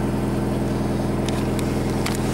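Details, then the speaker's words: Nissan S13 CA18DET four-cylinder on new VW TSI ignition coils, cold engine: steady, even low throb with no misses or stumbles; clean cold idle, starting better than on the stock coils. "fired right away these coils were a very good idea fired worse on serial now on a cold engine right away and runs"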